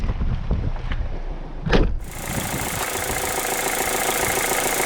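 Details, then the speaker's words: Mazda2 1.5L Sport petrol engine converted to run on hydrogen, low hydrogen pressure and concentration, nearly out of hydrogen: uneven idle with a hard clattering tick over a low rumble, still diesel-like; injectors sound fine. Cause unconfirmed. "from here it does sound a little bit diesely still. It still sounds like a diesel, for sure."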